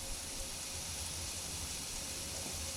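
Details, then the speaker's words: 1999 Ford during rebuild, fan/radiator/AC condenser removal: steady high airy hiss of R-134a refrigerant bleeding slowly from an opened AC line until the system is fully discharged and safe to work on. "Now my AC unit is completely discharged, which means it's safe to work on."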